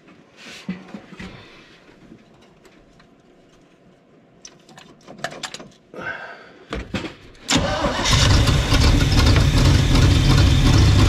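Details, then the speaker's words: 1975 Chevy 4x4 with new spark plugs, hot-wired, running on its own fuel pump: cranking bursts then a loud raw blatting roar with deep rumble; bad exhaust leak, no exhaust fitted, smokes, owner suspects worn rings. "bad exhaust leak, I tell you. I knew when I first turned it over."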